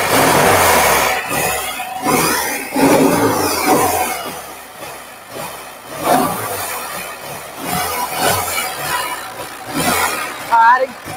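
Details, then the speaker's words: 1957 BMW Isetta fitted with a spare replacement engine after the original seized: uneven air-cooled chatter settling into a fairly steady run with a few blips. It sounds healthy. "so she does run and the story that we were told on is pretty accurate it sounds pretty good"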